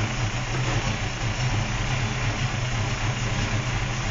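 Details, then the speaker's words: 1977 Holden Torana A9X-style V8 gives a deep, loping idle with an uneven, choppy beat and steady shake; healthy lumpy cam idle, as expected. "There's nothing more boring than a bit of a muscle car that doesn't have a lumpy sound to it."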